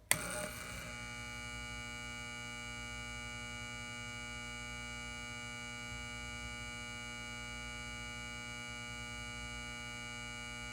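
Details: Lithonia 250W pulse-start metal halide high-bay, M153/O ballast, LumaSuper base-up bulb, 11 months old: loud steady mains buzz settling in right after start-up; normal magnetic ballast hum.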